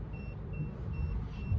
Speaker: but since it's not making contact, it's going to shut back down.